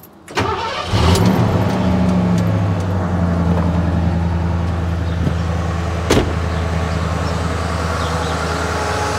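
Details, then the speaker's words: 1968 Ford Torino coupe V8 with electric fuel pump and electronic ignition: quick crank catches at once, then idles down to a steady, even, low-pitched idle with no knocks or misses; runs healthy. "see it idles down it once it it starts up and then it idles down to where it needs to be just like it should be"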